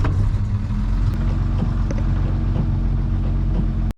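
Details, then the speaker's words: 1958 Rover P4 during brake master-cylinder rebuild and bleeding. Low steady engine drone for about four seconds, then it cuts out abruptly as the brake pedal is pressed. Fuel starvation was first suspected; now suspected to be linked to the brake servo. "What's the connection when I press the brake pedal? It stops. The servo."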